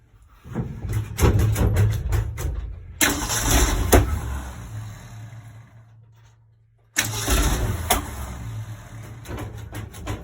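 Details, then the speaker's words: 1965 Ford Econoline 100 pickup, long-sitting and previously tinkered with: long cranking with uneven stumbling firing, never settles into idle; timing or firing order suspected, later found number 1 and 2 plug wires swapped on the cap. "From the looks of it, we have maybe some kind of timing issue on the motor. Maybe the firing order's off or something of that nature."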